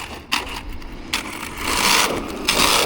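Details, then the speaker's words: Hosim budget 1/10 brushless RC car on a 4S battery after bashing: irregular crunching and clattering bursts as the motor drives the wheels under load. Drivetrain damaged, owner suspects the diffs. "All right, back in action. Yeah, that drivetrach's not happy."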